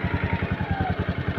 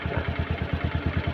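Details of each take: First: Honda Scoopy/Vario 150 single-cylinder scooter after raising idle by turning the idle screw right to fix idling stop not working: even putter about ten beats a second, no stumbling, smooth idle at a slightly raised speed. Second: Honda Scoopy/Vario 150 scooter with idling stop not working: slow, lumpy idle about nine thumps a second, near stalling; idle RPM set too low, which stops idling stop working; fix is turning the idle screw right to raise RPM.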